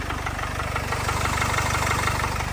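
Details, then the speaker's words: Jaguar/Land Rover 2.0L diesel idling with a fast, light rattling tick over its steady clatter, from a worn timing chain, a well-known common fault on this engine. "so if you listen to it that is to do with the timing train they are very common for it and they're well known"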